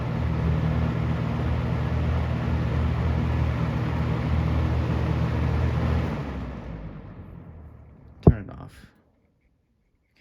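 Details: Galaxy 6708 fan running: smooth, even low hum and airflow hiss for six seconds, then a clean fade as it spins down; runs nicely, though the owner still hears odd hissing noises on spin-down.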